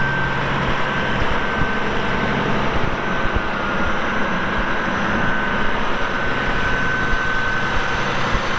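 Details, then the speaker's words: 1989 Caterpillar D6H dozer, 10,489 hours, diesel: deep steady rumble with even beat, no misses or knocks, starts right away without excessive smoke; engine sounds great, healthy normal running. "No excessive smoking. The engine sounds great. The hydraulics are very strong."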